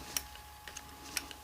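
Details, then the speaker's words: Hi-fi CD player: light dry ticks about every half second over a faint motor hum as the arm and cam lift the tray and clamp the disc; loading mechanism working normally. "This arm here lifts the deck up, the tray, as well as the cam lifting that up and releasing the disc."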